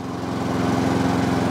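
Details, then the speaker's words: Wolf lawn mower after its perished primer bulb was replaced with a Quantum-style bulb, running with the fuel cap off: an even, fast single-cylinder putter with no misses. Running normally, though the owner suspects a fuel cap issue. "So I put a quantum one in there, and I don't know if you can hear it in the background, but she's now running."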